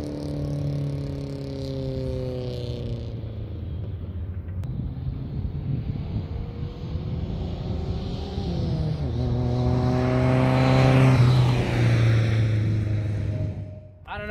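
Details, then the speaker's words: Nissan 1400 bakkie after fitting a new single-box exhaust, drive-by: even, deep exhaust drone swelling smoothly as it passes and pulls away, no rattles, blows or misfires; sounds similar to the old exhaust, slightly different; normal exhaust note. "I don't think it sounds too bad it sounds very similar to the old one but yeah it's slightly different to me obviously I can hear it in person don't know if in video it's that clear but let's get some driveby"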